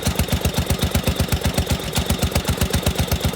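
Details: 16 hp Briggs & Stratton engine on an 8163B, cold start at 12 degrees: even, steady putter at about four beats a second with no misses or knocks; cold idle running smoothly.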